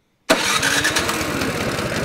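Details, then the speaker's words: Craftsman snowblower cold start on electric start, choke fully on, primed three times, throttle low-medium: starter barely turns before it catches and runs steadily; normal cold start. "she's up and running take your cord off take your choke turn it one click"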